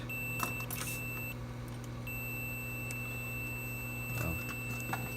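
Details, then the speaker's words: Xbox One S with no power (beeps, then turns off), meter probes on the 12 V rail while a suspected blown MOSFET is removed: steady high continuity tone, briefly dropping out and returning over hum; the rail is still shorted. "I'm gonna put my pins here in my negative and positive terminal, so you can see in real time if this short is going to be removed."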